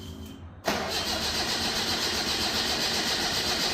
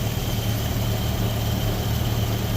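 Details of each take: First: Datsun Roadster with EFI on 93 octane, cold start at ambient in the 50s °F: long even cranking at about four turns a second for five seconds, never catches. Tuner suspects not enough fuel when cold; hard cold start, lean mixture. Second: Datsun Roadster with EFI on 93 octane, cold engine in the 50s °F after adding cold-start and after-start enrichment: low, fairly even idle, no stumbling or misses, a bit better before warming to operating temperature. Normal idle.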